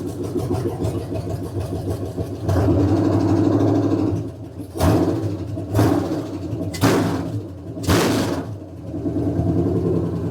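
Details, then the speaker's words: Freshly built V8 in Kendall's mud truck, first start just after install, oil pressure 55; even idle then four quick crisp throttle blips, no knock or tick, sounds good: normal revving. "it sounds good R it up 55 sound pretty good sounds good sounds"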